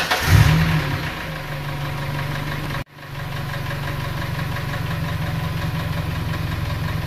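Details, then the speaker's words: 2.3–2.5 Ford Ranger, about 4,000 miles since build, warm before teardown: engine starts and settles into idle with a light, quick tick over the hum, intermittent and varying from quiet to loud; sticking hydraulic lifter, before repair. "we got just a little bit of a tick and sometimes it does it sometimes it doesn't sometimes it's super loud sometimes it's quiet like this"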